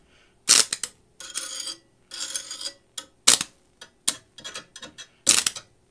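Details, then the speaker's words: Vintage Lincoln Tombstone 225 AC buzz box stick welder, before repair and turned up to 225: short broken crackles with silent gaps. The arc fails to strike or hold, and output feels like about 120 volts, half what it should be. "that's definitely not powerful so it almost feels like it's running on just 120 volts like half what it should be"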